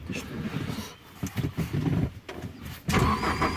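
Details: Alfa Romeo 147 Twin Spark 105 hp with crank-no-start after stopping mid-trip, fuel pump heard after refuelling: uneven cranking for a few seconds, then catches and settles into a steady run; starts normally.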